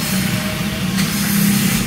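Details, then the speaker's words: Car starting straight away after manual ECU/ECM reset by disconnecting and reconnecting the negative battery cable: catches at once, settles to a steady even hum with no misfire or stumble; normal start. "Ya, alhamdulillah langsung hidup, tidak ada masalah setelah di reset tadi dan"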